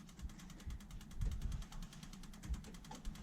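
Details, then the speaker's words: Gen 1 non-VVTi Lexus 1UZ-FE V8 with EGR deleted, in a jetboat on a Link Atom ECU, was running on 6 cylinders. After the injector drive wiring is corrected, the injector gives fast, even, loud, firm clicking: normal injector operation. "and if we tuned that all Mack should make a really click loud clicking noise now and very firm"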